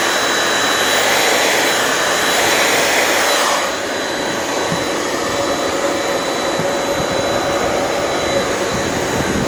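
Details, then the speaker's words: Very old Shark NV22 upright vacuum with hair-clogged brush roll, on position 1: smooth, even high motor whine settling slightly lower, no knocks or rattles; brush roll spins and motor runs normally, though a leak elsewhere is possible. "So it works. I mean, maybe there's a leak somewhere else, but brush roll spins and the motor turns. Doesn't sound too bad."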